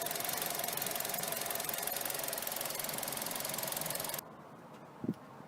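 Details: Mazda 6 2.0 petrol idling erratically with high fuel use (17 MPG) and stalling at junctions: busy, hissy clatter with slightly uneven beat, before cleaning the dirty throttle body and MAF sensor; rough idle, cause suspected not confirmed.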